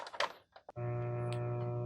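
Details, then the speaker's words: Industrial RF modulator from 1996/1999 carrying N64 audio: at switch-on a loud steady low buzz with rough overtone holds along with the sound, power-related mains hum; ground loop isolator on coax had no effect. "the first hint at maybe something funny is going on is you can hear a very slight hum coming from this and if we turn this on a very loud hum along with of course the sound"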